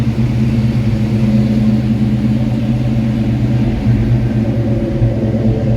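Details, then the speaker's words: 1986 Mustang V8 after TrickFlow heads, vacuum leak and fueling fixes, cold start after hours unstarted, below 100°: steady, deep idle with no misses, knocks or hissing, may surge slightly until warm. "we'll crank her up so you can see what it sounds like it probably is going to surge just a little bit until it warms up because it hasn't been cranked and you know a few hours"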